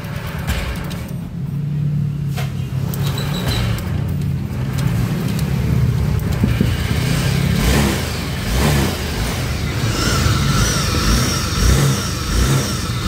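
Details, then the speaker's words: Honda Vario 125 scooter with rough engine noise, idling and revving: deep uneven rumble, typically caused by a worn left-side crankshaft bearing; engine to be split open. "oke Bisa jelas ya untuk suara motornya jadi suara motornya bergemuruh nah ini biasanya disebabkan oleh bearinguk as khususnya bagian sebel seb sini ya sebelah kiri"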